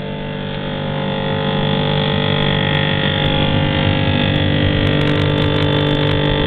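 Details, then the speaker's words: GE refrigerator freezer fan on high speed: loud steady buzz-saw drone as ice buildup strikes the evaporator fan blades; raising the temperature setting silences it temporarily. "now that's the sound of ice buildup hitting the evaporator fan when that happens you get that buzzing sound"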